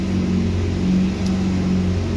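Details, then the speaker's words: BMW 218i that will not start, front bumper, radiator and fan removed: a constant, even whirring with no cranking beat as the starter fails to turn the engine. The flywheel ring gear is broken inside and is to be replaced. "ये दोस्तों आप देख सकते हैं मसला इसका, ये बिल्कुल इसका जो कड़ा है, फ्राई व्हील जो इसको बोलते"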